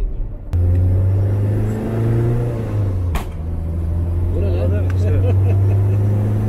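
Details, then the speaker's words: Lada 2104 with swapped BMW 318 M44 engine on Ecumaster ECU, car in 3rd gear, light throttle then lift-off: low steady drone, then one sharp crack as revs dip; backfire-like popping on throttle lift, cause not known. "Şey gibi bir ses geliyor. Şatlak atar gibi. Lan bu şey gibi, gülle gibi atar."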